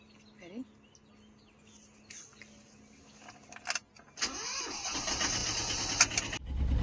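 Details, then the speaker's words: Original Universal diesel on a Catalina 30 sailboat: quiet, then a short crank, catching first try and settling into a steady, even idle; cooling water spits from the exhaust normally. Normal diesel start. "Look at that. First try. We got some mighty good batteries. That was good. Okay. Yeah. First try. We We've got a pretty good uh engine here on SV Xanadoo."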